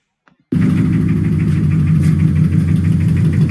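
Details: Toyota 1UZ-FE V8 after starter motor replacement: loud, heavy, regular hammering knock over idle, seeming to come from bank 2; debris that fell down an intake port into a cylinder striking the piston, not scissor gears.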